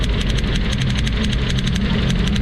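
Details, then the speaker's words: Suzuki APV with low power and heavy vibration: uneven petrol idle with a fast, sharp snapping tick as an ignition coil arcs to ground through its side, causing the misfire. "Dapat dito lang ang kuryente niya wala Dapat lulusot dito sa gilid Ayan oh sobrang lakas"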